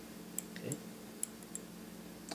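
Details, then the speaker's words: 2013 Mazda6 hood latch switch after bending its arm to contact the latch armature: a few crisp, light clicks as the switch now closes when the latch engages. "okay so uh what I did I bent this little arm enough that it's almost always touching this Armature here okay and if you listen carefully that's the point at which it makes contact and then it continues around here to close"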